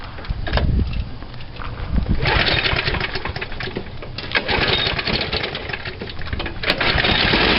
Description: The mower's engine then raced and rattled, the sign of a bent crankshaft.